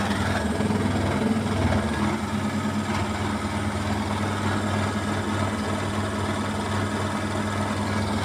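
Deep steady drone with an uneven, loose rattle running through the spin; the drum is rattling from an unbalanced load.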